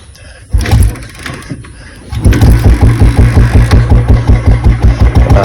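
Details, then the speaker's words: Carbureted motorcycle after water got into the petrol tank and carburetor; kick start, then a lumpy, uneven low thumping idle of about three beats a second that never picks up cleanly and bogs when throttle is given; cause not confirmed. "Accelerator starting ചെയ്തിട്ടുണ്ട് accelerator കംപ്ല start ആക്കിയതിനുശേഷം accelerator കൊടുക്കുമ്പോ ഇങ്ങനെ ആയിട്ടാണ് നമ്മൾ നിർത്ത എടുത്തിട്ട് പോയത്"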